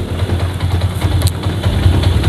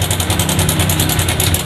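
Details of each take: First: Yamaha MX King 150 (Jupiter MX) idling after the noisy cam chain tensioner stud was fixed by welding a nut on its end; helicopter-like noise gone, steady quiet idle with even firing and no chain clatter; normal idle. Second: Yamaha Jupiter MX King 150 motorcycle idling with a loud, fast metallic helicopter-like chatter about ten times a second from a worn cam chain tensioner; risks chain jumping the gear and bent valves.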